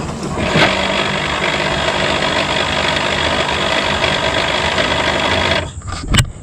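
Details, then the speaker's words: C5 Corvette, engine idling, driver's side pop-up headlight lowering: steady rough whirring grind for about five seconds from stripped plastic motor gears; fix is replacement plastic or upgraded brass gears. "on the way down it's gonna make this nasty grinding noise this is actually the plastic gears have stripped out on this driver's side headlight"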